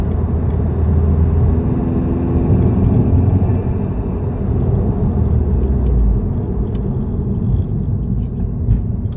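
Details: 2017 Subaru WRX STI: steady low engine rumble with a faint thin whistle or hiss; owner suspects a boost leak, while the dealership checked bolts and exhaust manifold and called it normal.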